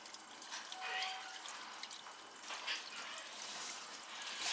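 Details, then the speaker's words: Cast-iron drain pipe that was rotted and leaking, after repair: soft trickling and dripping as water runs through the pipe, no gurgling or spraying; drain flows normally with no leak seen. "Is it going down? The drain going down? I believe so."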